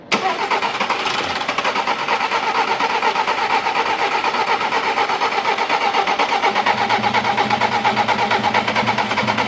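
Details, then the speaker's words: 2010 VW Polo 1.4 naturally aspirated petrol, 29,600 km, after engine rebuild for bent valves with lifters drained and fuel system removed; starter churns about two beats a second for several seconds as it struggles to fire, normal extended cranking. "iç çalışması biraz sesli olacaktır 5 6 dakikadan sonra motor tamamen stabil bir şekilde çalışmaya devam edecek çalıştır arabayı Biraz zorlanacak"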